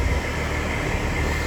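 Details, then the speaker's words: HVAC condenser, no-cool call with house at 80 degrees, gauge pressures not moving: only the fan's steady low whoosh, no compressor hum; compressor not starting, run capacitor dead with no microfarad reading on the compressor side. "So I got it finally off, and guess what I thought? It's a bad capacitor."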